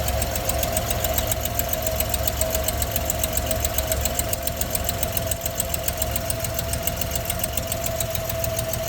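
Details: 1963 AMC Rambler Classic engine at idle: light fast tick about two per second over steady idle; owner suspects exhaust leak, possibly at the manifold.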